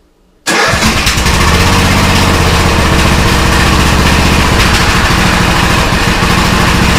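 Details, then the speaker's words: Old custom-built Troy-Bilt riding mower, started without choke: catches at once into a loud, slightly loping but steady idle with no misses; owner was told it sounds like it has a cam; runs healthy with no smoke. "Told that it sounds like that this ride lawnmower has a cam on it."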